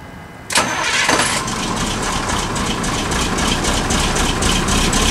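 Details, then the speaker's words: Ether-assisted cold start of a 1986 Ford F700 toterhome with a mechanically injected 8.2 L Detroit turbo diesel. The starter catches, then the engine settles into a steady, even clatter at idle with no misses. A little smoky cold but runs well and quietly, with no blow-by. "like a little smoky but she is old i mean mechanical injection she's gonna be a little smoky when she's cold but it does run really well and it's really quiet as well"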